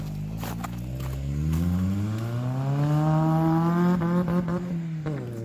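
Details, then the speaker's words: Honda-engined buggy after an ECU swap and added OBD2 port, driving. Smooth rise and fall in pitch with no VTEC crossover heard. Owner suspects a missing speed sensor or other sensors; a new code appeared. Possibly something kicked in during the last 2,000 rpm in second. "Sounds like there's still no Vtec."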